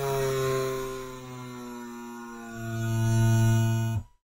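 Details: DC motor driven by a Cytron MD13S motor driver from an Arduino: steady electronic whine with a low hum that shifts pitch as speed ramps, then cuts off cleanly; normal PWM drive.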